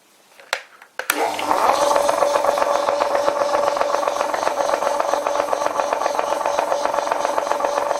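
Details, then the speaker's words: Old WW2 Fischer lathe now on a v-belt, pulley halves bolted together, belt slipping slightly on motor pulley: steady whine under regular clatter; rough-running gearbox noise, cause not pinned down. "it doesn't sound very good let's switch it let's put it in back there"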